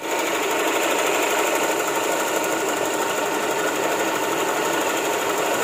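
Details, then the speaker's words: Honda Vario 150 scooter after repair (engine previously rebuilt with new piston, was rough and rattling before): steady even idle with fine fast mechanical patter, no knocking or rattling. "Dan ini ketika motor udah saya benerin. Seperti ini suaranya ya."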